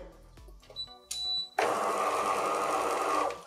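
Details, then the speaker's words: DeLonghi Cappuccino espresso machine, first power-on after repair. A harsh, buzzy motor grind runs for about two seconds, rough and uneven; the brew unit drive is running badly and needs cleaning and lubrication. "No to słychać, że winda chodzi tragicznie, ale to jest do wyczyszczenia, do wysmarowania."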